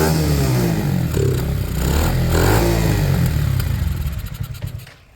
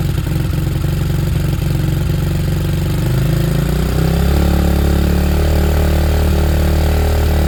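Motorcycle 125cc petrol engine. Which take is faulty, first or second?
first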